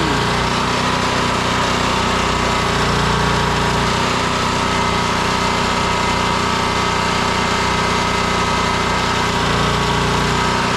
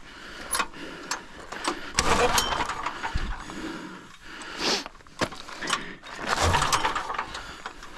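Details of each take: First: Generator after hard start, running with a load plugged in: steady, even engine drone with mild hum underneath; power works, though it then smells too hot and air filter gets cleaned. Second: Pull-start generator with faulty recoil starter: each pull gives loose clattering and ratcheting, engine nearly catches; the starter assembly kicks off its mount, very loose; owner wonders about carburetor too.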